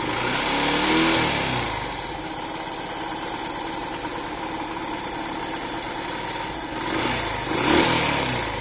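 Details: Yamaha FZ V3 single-cylinder at idle with throttle blips: light, uneven metallic rattle from the engine rising with revs; timing chain or tappet noise suspected, cause not confirmed.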